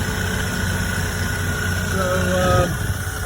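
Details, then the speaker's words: 1975 Ford E100 van V8, gravity-fed fuel, alternator suspected not charging with battery voltage dropping; deep, even idle rumble holding a steady beat, no misses or knocks; healthy idle. "man am I happy to hear that I tell you makes it all worthwhile"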